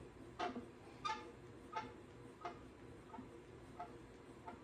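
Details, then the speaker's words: Pooboo stationary exercise bike after greasing the belt with white lithium grease and tightening cover screws: short high chirp about 90 times a minute with the pedal stroke; still squeaking, so owner concludes not the belt, source unknown. "See if it's gonna go away. So it must not be the belt. It's got to be something else squeaking inside here besides that belt."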